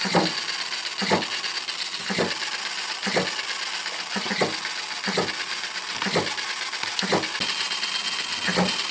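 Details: Retrol HM-01 7cc four-stroke horizontal hit-and-miss model engine: sharp even ticks about once a second over light mechanical patter, slight vibration expected; firing and coasting as it should.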